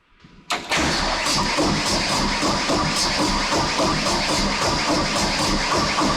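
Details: Case 430 skid steer with a replacement FPT 4.5 diesel installed and rebuilt: steady starter churning at about four beats a second with no firing, as air is still being bled from the injector lines on cylinders 1–4.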